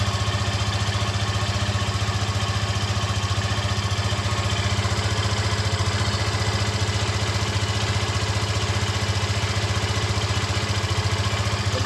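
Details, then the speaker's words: Yamaha FZ15, first start of the morning, engine fully cold at idle: steady, even, fast single-cylinder thumping with no knocks or rattles; normal healthy idle for this bike. "Esse barulho aí, ela tá com o motor frio, frio, frio. Deixa 30 segundos com esse barulho aí."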